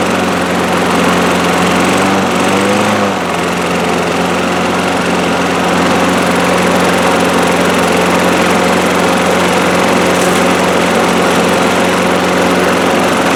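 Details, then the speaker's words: 2003 Craftsman 6.25 mower single-cylinder after draining much water from the fuel system/carburetor: steady even buzz, no misses or surging; running good, bowl not leaking, needs oil change. "here we go it's working running good definitely needs an oil change bowls not leaking"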